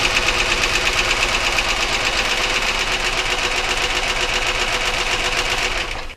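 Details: Car engine running with a fast, sharp metallic clatter steadily under the engine note that cuts out at shutdown; knock of unknown origin, checked one cylinder at a time with a spark tester.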